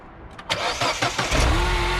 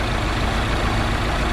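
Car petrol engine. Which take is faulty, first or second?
second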